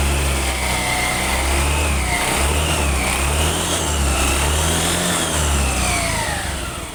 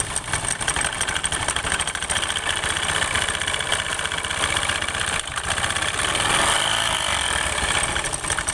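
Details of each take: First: Scooter CVT after replacing destroyed rollers and their broken housing: the engine revs up and down smoothly and the drive whine rises and falls evenly, with no rattle or knock; normal running. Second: Scooter idling with the CVT cover opened: harsh metallic rattle and hiss, uneven and busy at the belt drive, from worn, damaged variator rollers causing noise and reduced performance; noise gone after replacement.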